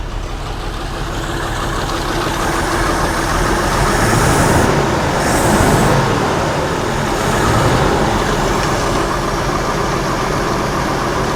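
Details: 1982 Jeep Scrambler, AMC 258 inline-six, Weber 32/36 carburetor, fuel pressure raised to 5; previously doggy. Steady, fairly even idle with slight loping rise and fall, no knocks or misses; running fine.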